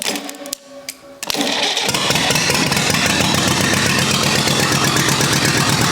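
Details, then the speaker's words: Rebuilt U23 engine ("Old Rusty") at its first start after 25 years: a few cranking bursts, then it fires almost immediately and settles into a steady, even beat with no knocking, running smoothly apart from the non-original carburetor, which still needs adjustment. "you've seen that the carburetor had some issues still i still need to make some adjustments on that but we knew that because this is not the original carburetor but for the rest it's it's running smoothly"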